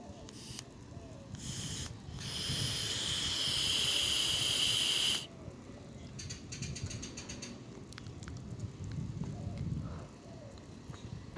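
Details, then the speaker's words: Vape after the coil is replaced: a draw gives a smooth, steady airy hiss for about three seconds with no gurgling or spitting, back in working order. "don't know if y'all heard that, but there was no gurgling. Like, you can hear that. No gurgling. It is back in working order."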